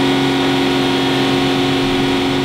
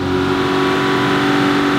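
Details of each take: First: Aston Martin DB9 engine, warm, with rpm raised under load, recorded from underneath: a fast, light cyclic tick from piston slap or small-end knock. It is silent on cold start at fast idle. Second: Aston Martin DB9 V12, warm and on a lift, recorded from underneath with rpm raised: smooth, steady, even hum with no ticks or knocks, so the engine sounds healthy at this point.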